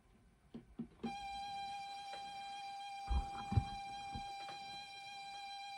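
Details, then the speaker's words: ZX Spectrum +2 datacorder after drive belt replacement, previously slow and struggling to load; loading tone holds dead steady in pitch, no wobble or sag, a few handling knocks at start; normal playback. "yeah well the belt's working it's spinning it and before it was struggling that seems better don't it"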